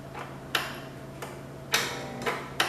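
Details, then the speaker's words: 1969 Cub Cadet 105 tractor, battery on a 2 A charger: sharp irregular ticks, about five in three seconds, over a faint hum when the key is turned; power reaches the system but it does not crank, cause unknown. "It is definitely doing something, though, when I turn the key. So there is definitely power getting to everything, so that's good."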